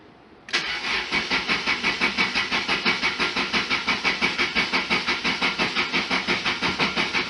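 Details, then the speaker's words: 1991 Lotus Elan in neutral during cooling system repair, after sitting a week: starter churns at an even rhythm, about three beats per second, for seven seconds without catching; owner concludes fuel injectors were lightly stuck. "okay so what happened well clearly the fuel injectors stuck but they must have only been only lightly stuck"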